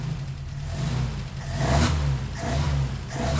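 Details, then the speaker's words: Opel GT Targa engine on first test fire after a Weber 40 DCOE carburetor install, linkage not yet hooked up; catches, idles, then revs cleanly through three throttle blips and settles back; healthy revving, runs well. "Look at that. Oh, that's great. Let's see. Oh, she's alive."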